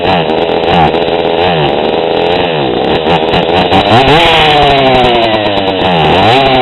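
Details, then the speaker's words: GoPed GSR40 two-stroke with 603 carb and TGN manifold, low-speed needle set half a turn too lean: revs rise and fall raggedly, with the pitch sagging and stumbling instead of climbing cleanly. It still revs but bogs badly, with a lean low-end bog. "even though I can still get RPMs out of it you can see it bogs really bad it's just too lean"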